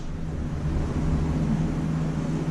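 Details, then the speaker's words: Chevrolet Silverado V8 recently bought, heard just after startup before exhaust leak repair. Deep, rough, uneven rumble with a raspy, chuffing edge from a massive exhaust leak; exhaust manifold leak. "we're trying to fix the exhaust leak on my truck right now yeah we forgot to say that because it has a really massive exhaust leak and it sounds like complete poopy lock"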